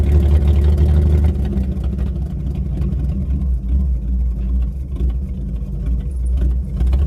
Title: Ford 300 inline 6 misfire